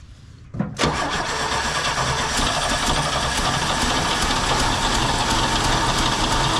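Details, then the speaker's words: 1968 GMC C1500 pickup sitting 27 years in a field, fed from a gas can hose to the fuel pump: the starter turns the six over evenly with ragged pulses but it never runs. Fuel starvation; the pump isn't picking up fuel. "I keep trying because I can see it bubbling in the fuel tank there like it's trying to pick it up the pump's trying to pick it up"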